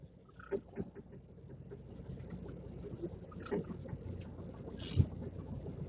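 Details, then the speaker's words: VW Polo stationary, microphone on dashboard, steering turned: sharp irregular cracks and creaks from worn strut top mount bearings letting the spring slip; struts to be disassembled. "esse barulho quando você enrola o dinheiro dele mesmo parado e ele fica dando esses Carlinhos ali foi o barulho que eu mosquito início do vídeo é aquilo ali é a falta de ação dos Rolamentos rolamento do coxim"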